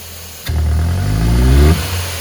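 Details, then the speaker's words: Ford (Fiesta, Ka, EcoSport, Courier or Focus) losing power, backfiring and using lots of fuel, revved hard: revs climb slowly and unevenly then drop, slow to build and sometimes popping; hesitant revving. "eu vou aqui acelera forte como se eu tivesse pisando foto nossa no professor ele aqui que ele vai demorar muito para desenvolver e às vezes até pode ser atender uns estouros"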